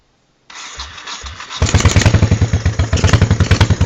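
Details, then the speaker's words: 1986 Honda Shadow 1100 with high mileage: starts easily, then idles with uneven, lumpy pulses and dropped beats from a rear-cylinder misfire; the carburettor is seen puffing back, cause unclear. "the rear cylinder misfires in a weird way I'm I don't know what's wrong with it"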